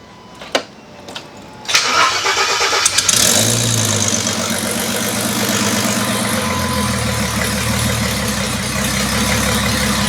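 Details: Engine with new coil bracket, previously run to about 87–90° operating temperature, before head re-torque: a few clicks, then the starter catches and it settles into a steady, even idle with no knocks or misses; normal running.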